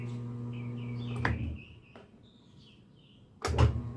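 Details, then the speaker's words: General Electric washer on drain-and-spin: steady low motor hum, a clunk, a pause and another thump as the transmission tries to turn, but the drum never winds up; spin/centrifuge not engaging. Repair could involve bearings, seal and timer check. "sí se oye pero no está entrando entonces en la primera revisión que se realizó es checar el exprimido el centrifugado pero no lo está haciendo"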